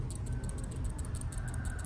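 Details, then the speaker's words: GoPro Hero 7 action camera: quick light plastic clicks, several per second, as the camera is shaken; battery/memory card door latch worn loose from repeated opening, rattling in housing and causing tick-tick noise in recordings. "Cái miếng chốt của cái nắp này nè, khi mà mình ấn xuống, mình tháo ra, mình gài lại thì nó sẽ bị rơ thôi. Đây này, có thể nhìn thấy cái miếng này nó rơ. Thì cái nguyên nhân của tiếng kêu là nó phát ra từ cái miếng này, cái chốt này nè."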